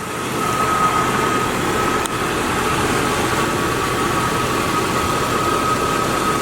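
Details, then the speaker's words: 2001 Jeep Cherokee Sport 4WD, about 20 years old, running: a smooth, even, quiet idle with no ticks, knocks or exhaust puffing. Headers and header gaskets quiet, no oil leak; the engine sounds healthy. "So as you can hear, the engine is very quiet. Headers are quiet, header gaskets are quiet, there's no oil leak."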